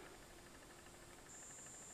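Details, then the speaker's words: ZD-985 desoldering station powered on: thin, steady high whine with a faint low buzz underneath, suspected to come from the internal switch-mode transformer; cause unconfirmed. "oh it's humming away it's humming away that is not good sounds like the internal I think it's a switch mode Transformer but definitely something is humming in"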